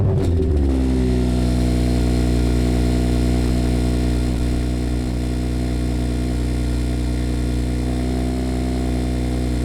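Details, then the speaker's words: 2017 BMW 340i with muffler delete and VRSF downpipe, after exhaust valve actuator clip replacement: loud deep idle with fast buzzy rattle on exhaust pulses; clip did not fix it, owner unsure if real rattle or just loudness. "I don't know why my exhaust kind of sounds like it's rattling. I could be overthinking it. It could just be so loud with the muffler delete that it just sounds like it's rattling."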